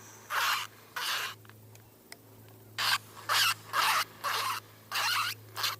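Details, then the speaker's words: Spinning fishing reel gives harsh, high rasping squeaks in bursts with each handle turn; fixed by taking the reel apart and cleaning it. "That's the squeaky reel. And it's the equivalent of waterboarding, but with sound."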